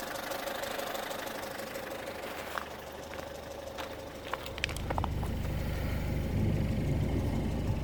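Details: Citroën C5 2.0 HDi 100 kW diesel idling loudly with a sharp, fairly regular tick about three per second; owner unsure of source, suspects injector area; all four injectors and valves repaired, piston rings and valve seals renewed 15,000 km ago.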